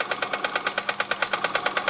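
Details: Unknown Bing toy steam engine, former non-runner, test run on air after resoldering the steam pipe to the boiler and repairing piston, cylinder and frame: crisp even puffs about nine a second, no binding or stumbling; running freely.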